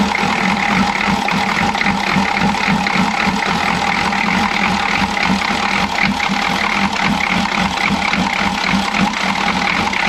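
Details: Chevy G20 van with 6.2L diesel and a grease-caked intake manifold, loud idle clatter with an uneven stumbling beat as one cylinder seems to drop out; misfire, owner suspects a timing problem.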